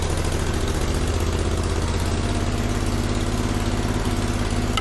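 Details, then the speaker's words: Grasshopper zero-turn mower with a rebuilt Kohler CH25S twin-cylinder engine, first start after final assembly with a little choke: starts readily into a steady, even idle that picks up on throttle, with no knocks or misses. "now we start it up starts up good a little throttle"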